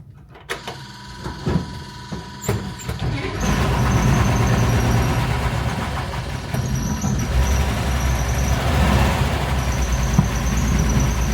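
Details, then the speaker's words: Corvair Corvan that sat long in a barn, with an electric fuel pump fitted under the car near the tank instead of the fire-prone mechanical pump: a few pump ticks at key-on, then the engine catches and runs smoothly. Fuel delivery is fine. "So in order to mitigate that, I put an electrical fuel pump, so when I do this you can hear it, and that works perfect."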